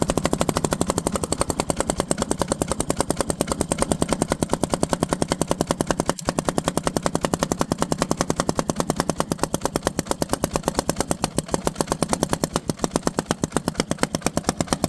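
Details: Tow-behind five-foot-deck mower with its own engine, struggling: rapid sharp popping over a rough-running single, exhaust spitting back through the carburetor while it still runs; both valves found loose, one locking nut loose. Carburetor backfire.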